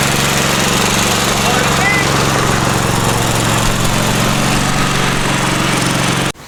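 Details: Free Craftsman riding mower said not to run, but the fault turned out to be the battery; oil checked as plenty, before the fuel drain and oil change: a steady, even drone with no misses or knocks until it is shut off. Normal running.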